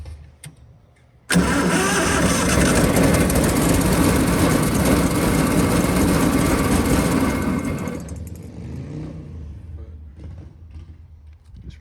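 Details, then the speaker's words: 1926 Ford Model T Roadster with a generator motor, after carburetor cleaning and with a temporary fuel setup: cranks and fires straight away, runs strong and even, then settles lower; a clean, healthy start. "i will say after cleaning that carburetor it's single it'll fire right up even though the fuel feels disconnected over there you can see it'll fire right to life"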